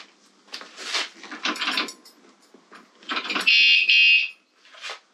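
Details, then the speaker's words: Battery-operated wireless anti-theft alarm fitted at an undisclosed spot on a motorcycle, armed after a 5-second delay; shuffling and clunks as the bike is moved, then a piercing, painfully loud high siren for about a second, triggering as designed. "It's extremely loud. I mean, it's painful. It's over. It's definitely over."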